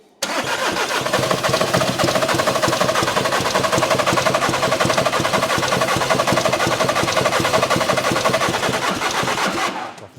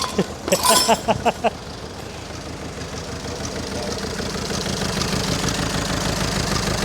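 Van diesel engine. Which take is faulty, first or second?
first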